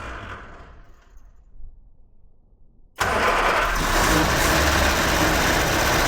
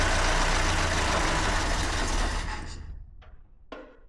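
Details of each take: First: Fire-damaged 1969 Ford Escort MK1 van, crossflow engine, gravity-fed fuel without tank, coil live, a squirt given: near silence, then engine catches at once and runs steadily, no stumbling. Engine starts and runs. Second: Fire-damaged 1969 Ford Escort MK1 van, crossflow engine, carb primed, choke worked by hand, coil on direct 12 V, not in gear: steady cranking churn, no firing. Fuel pump delivering no fuel, so crank no start.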